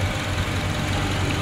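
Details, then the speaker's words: Honda CR-V 2nd generation after repair of a rattle, idling while warming up to fan-on: a steady, smooth idle with no ticking or clatter, normal. "di sini udah hidup ya hidup bunyinya juga enak ya nggak ada apa ya nggak ada suara aneh-aneh ya"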